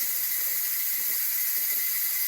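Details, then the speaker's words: Nesco electric pressure canner processing chicken, warm, 13 minutes left: constant even high steam hiss, no sputter; normal venting while holding pressure. "You can hear that steam. And I'm down to 13 minutes."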